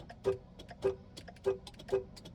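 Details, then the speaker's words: Ford Escape with aftermarket remote start, key locked four times to bypass PATS anti-theft key lockout: four sharp evenly spaced clicks, about one per 0.6 s like a turn signal; remote start relay cycling, after which key starts car. "now you hear that clicking sounds like a blinker going off once that happens I put my key in and it starts see that"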